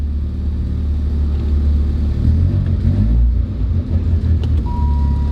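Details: Five-speed manual car from the collection, started easily: a deep, fairly even rumble with no knocks or squeals and only a mild waver in pace; the engine is running normally just after starting.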